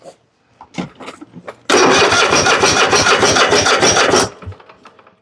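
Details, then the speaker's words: Husqvarna riding mower, Kohler 7000 series engine, new carburetor: steady fast starter cranking, about three pulses a second, no firing; fuel pump not pumping, line dry, fuel starvation traced to a tank flow issue. "Ain't pumping no gas, is it? That one's off. Let's pull this down. Not getting any gas out of here. That looks dry."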